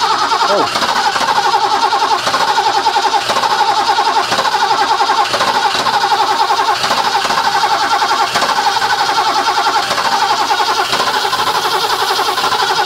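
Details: Barn-find 1980s BMW E12/8 M535i Lightweight (1 of 7, South African market), fuel-injected, untouched 30 years, on a temporary external fuel pump rig: long steady cranking with a regular chug that never fires. It cranks but won't start, and fuel pressure is unknown.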